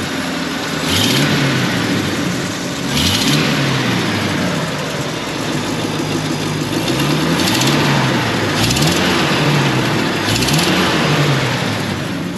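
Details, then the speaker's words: 1949 Packard Super 8 sedan, 6-volt system, running after start: engine revved up and down with a light quick tick growing under acceleration and load, inaudible at idle; small exhaust leak, otherwise engine runs well and carburettor seems well tuned. "c'est vraiment une à l'échappement leur nip l'art oscillait sortir en lançant un petit peu l'air petit pipi sort"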